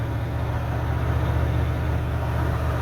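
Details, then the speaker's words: 1988 OBS truck on a road drive after a new ignition module, cap and rotor for an intermittent misfire: steady deep drone, even firing, no missing, skipping or popping; transmission slips slightly into third. "Overall running way better than it was last night. No missing, no skipping, popping, anything like that. So overall a whole lot better than we were."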